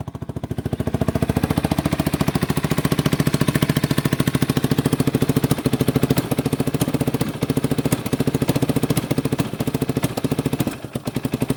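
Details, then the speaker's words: 1989 Yamaha Big Bear 350 ATV revived after sitting 10+ years, warming up at idle on half choke: single-cylinder popping idle with a sharp tick each beat, no knocking; owner suspects an exhaust leak; backfires and dislikes throttle when touched. "Let her warm up a little bit. She sounds good. There's no knocking. There's no knocking or anything into her. Might have an exhaust leak right there."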